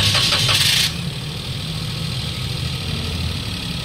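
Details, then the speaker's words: 2017 Toyota Wigo automatic, after new transmission filter and ATF: brief cranking then a settled, even idle; the previous transmission hum, loudest when cold, is gone through the gear shifts and the check engine light is off. Normal transmission operation. "Oo nga kambyo kambyo ko lang ayun mga boss nawala yung Ugo namatay din yung check engine"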